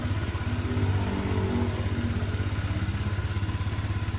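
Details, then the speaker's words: Honda Vario 125/150 scooter after repair of a blown head gasket (compression leak had made radiator coolant spray when throttled) and a failed water seal: an even, steady low putter at idle with no knocks or rattles, no rough noise anymore. "Nah, untuk mesinnya juga suaranya sekarang sudah halus nih. Halus ya. Halus. tidak terdengar suara kasar lagi."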